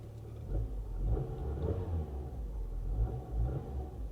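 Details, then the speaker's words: 2015 BMW 750i salvage car: smooth low rumble rising and falling with light revs, no knocks or ticks; engine sounds healthy and goes right into gear. "the engine sounds healthy. It goes right into gear."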